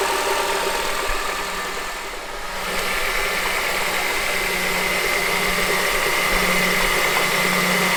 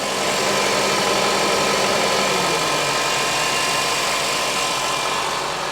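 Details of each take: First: 2007 Honda CR-V: steady light knock about three beats a second at even idle, radiating up through the top of the engine; worn AC compressor clutch, later replaced. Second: 2007 Honda CR-V running with AC switched on after belt tensioner replacement: steady engine hum, no rattle, squeal or AC clutch knock; noise appears fixed, AC clutch suspected if it returns.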